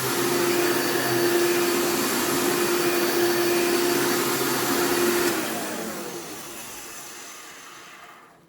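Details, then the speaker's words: Elite vacuum with new brush roll, running: loud rushing motor with steady buzzy tone, then winding down after switch-off; buzzing suggests it needs a new fan. "based on that sound it probably needs a new fan as well because the thing does make a lot of buzzing sounds"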